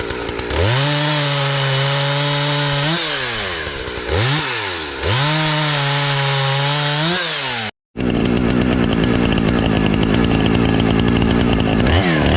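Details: Husqvarna 455 Rancher chainsaw, repaired carburetor and fuel line after sitting for years and dying on throttle, sharpened chain, cutting a downed tree: clean high revs dropping and recovering evenly as the chain bites, no bogging or stumbling; healthy under load.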